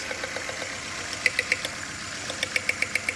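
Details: 2012 Nissan Altima 2.5 S idling: sharp ticking about four times a second with an uneven shake; cylinder misfire traced to broken injector wiring on one cylinder; a leaking ignition coil also spotted.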